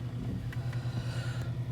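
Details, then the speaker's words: Kia Cee'd 1.4 G4FA, 184,000 km, seven years old, after rebuild with 0.5 mm overbore for oil consumption and piston knock, first start: low steady even idle, faint ticks, piston knock gone; clutch tapping considered normal; normal idle. "работает ровненько без каких либо шумов можно слышать до пропала вот это деление маленькой не слышно"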